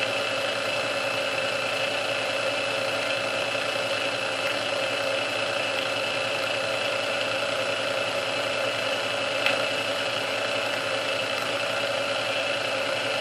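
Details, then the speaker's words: Restored Sunbeam Mixmaster Model 12 that had been quickly overheating its rebuilt speed resistor, after swapping all internal parts: steady, even hum at constant pitch on first (low) speed for about 2 minutes, no surging, catching or rattle; original cause unknown. "Okay, so that's been running for about 2 minutes. That was running for about 2 minutes on first speed, and it had no signs of wanting to give up."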